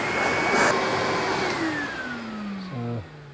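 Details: New Numatic NV750 dust extractor, tested with an anemometer at the inlet (about 9.5–15 m/s): steady fan roar falling smoothly in tone as the motor spins down after switch-off; even airflow, no rattles, running healthy.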